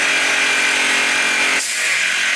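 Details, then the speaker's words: Inverter with eco mode off as an air compressor starts on it; steady high-pitched drone dipping slightly as the compressor kicks in, holding speed under load. "When using a compressor, you have to turn it to eco mode off. So we're going to turn it off and turn the compressor on. That's eco mode off. And the compressor started."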